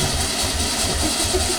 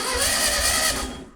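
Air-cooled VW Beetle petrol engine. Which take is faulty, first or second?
first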